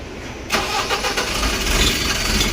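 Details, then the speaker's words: Ashok Leyland BS4 four-cylinder truck diesel that knocked and would not rev past about 1523 rpm, with codes P2151 and P2148: after clearing the codes, it starts and runs steadily with no knock, and the warning light is off. "देखो गाड़ी start हो गया है अपना DC का light गया है"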